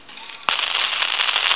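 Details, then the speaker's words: Brass elephant telephone on test, dialing: thin, harsh crackling static on the line, coming from the worn transmitter, which is then replaced with a new T1 transmitter. "Now if you can hear that static sensation, that's coming from the transmitter, and that's going to cause a bunch of static sensation."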